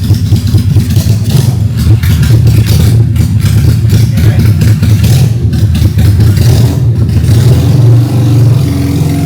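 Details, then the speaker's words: Honda Steed 400 V-twin chopper on its stock exhaust, first start after a five-day build; deep, lumpy open-pipe note that revs up and settles cleanly with no knocks or misfires, a healthy running V-twin. "Oke, kita akan mendengarkan pertama kali suara chopper The Problem."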